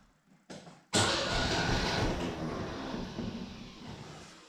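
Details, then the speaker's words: Mercedes W115, hot compression test with digital pressure tester, cylinder two cranking: starter spins engine at about three even pulses a second, no skips; reads about 11.8 bar (roughly 160–170 psi), a bar higher than cylinder one; normal cranking. "11.8 this is a bar higher um it's roughly eleven point eight eleven point eight it's roughly 160 something 170 ish and around there"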